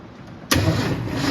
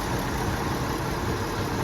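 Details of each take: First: 1971 Ford F250 3/4 ton 2WD with points ignition, unrun 22 years: slow cranking, suspected from old plug wires, then it catches on two-stroke fuel poured down the carb and holds a loud steady roar. First start after long storage. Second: 1971 Ford F250 3/4-ton two-wheel-drive six, sitting 22 years, radiator damaged: once warmed up it settles to a steady, even idle with a soft low rumble, no knocks, misses or ticks; normal warm idle.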